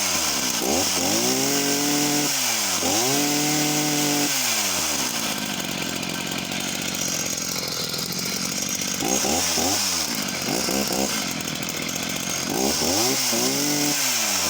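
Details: Husqvarna chainsaw of unknown model revved repeatedly at high speed: slightly uneven burbling note, four-stroking a lot at the top end, possibly running slightly lean; chain running bone dry with no oiling, oil pickup suspected.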